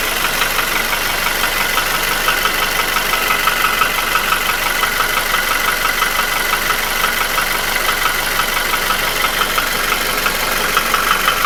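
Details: Nissan QG16DE without hydraulic lifters; rings, oil scraper rings, chain and shoe were replaced 2000 km ago. A sharp tapping knock at about three per second at idle began 1500 km ago, persisted after an oil change and vanishes with revs. Owner suspects the front of the block between cylinders 1 and 2.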